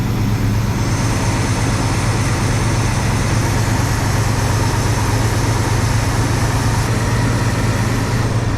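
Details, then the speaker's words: 1974 International pickup revived after years of sitting, choke still wide open: steady, even low idle rumble with no knocks or ticks; runs smooth, carburetor kit probably needed, small water pump leak. "other than that it sounds pretty good runs smooth no knocks or anything"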